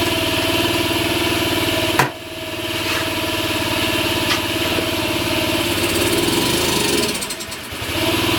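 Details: Honda Ruckus, cold engine, new plug, cleaned carb, new battery: small single runs rough and uneven, sags and nearly dies around seven seconds then recovers; unstable idle, stalls on throttle, owner wants to test another ECU.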